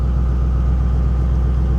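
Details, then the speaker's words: 1984 GMC/Chevy G20 conversion van, abandoned for years, idling at Copart: a deep, even rumble with a steady beat and no knocks, misses or whine; runs really well and went into gear, normal idle. "that damn thing runs it runs great I don't understand it I don't understand it one bit but it uh it does it runs it runs really really well"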